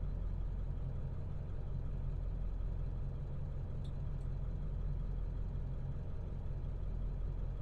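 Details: 2002 Ford F250 7.3 Powerstroke diesel, previously rough idle, after ICP sensor and IDM replacement. Low, steady diesel rumble with an even beat and no misses, knocks or hunting: smooth, healthy idle.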